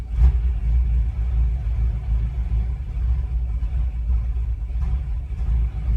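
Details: 2014 BMW M5: low engine rumble surging and dipping unevenly with occasional sharper thumps, rough stumbling running from a misfire.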